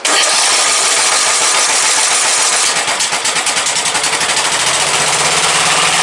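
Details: Briggs & Stratton 17.5 OHV single-cylinder lawnmower engine after new hand-cut gasket; catches and settles into steady even beat, no misses or knocks; starts every time on key, compression release working, runs healthy.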